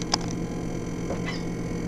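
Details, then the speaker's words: Frigidaire FRS23W3AW1 refrigerator, in use since 2005: steady low hum with ticking and scraping as the evaporator fan blades catch on ice, caused by ice-maker water leaking over the U-shaped down spout into the fan. "as you might be able to hear the evaporator fan is making quite a bit of noise this is due to the design of the down spout going into the ice"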